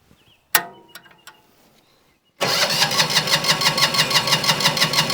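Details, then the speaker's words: Winget mixer single-cylinder diesel stood a couple of years, decompression lever checked: steady starter cranking about three pulses a second, smoke now appearing but no firing; compression problem suspected, not confirmed. Cranks but no start. "We got smoke now, which we didn't have before. Smoke, but no fire."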